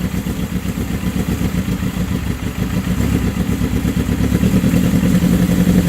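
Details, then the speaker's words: 1979 Suzuki GS750 four-cylinder with rebuilt carbs, idle turned up after first start in over a year: strong, even firing pulses climb a little as the throttle opens, then settle into a crisp, healthy run; normal. "Oh, that's strong. That's the best she's had in years, man. Woohoo!"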